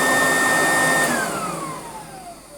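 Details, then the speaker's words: Goblin Laser 2600 Plus vacuum cleaner after full refurbishment with a brand-new motor fitted: the motor whine falls smoothly in pitch as it spins down, with no rattle or grinding, a smooth, healthy run-down. "it's very smooth it's very very very very smooth indeed"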